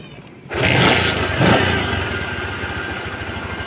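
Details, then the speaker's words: Bajaj CT 100 motorcycle, previously not starting, after refitting the pulser whose screw had fallen out, old CDI kept: fires up at once, blips, then settles into a steady, even idle with no misfire. "so a na nga mga boss umandar na siya then nawala na yung palya"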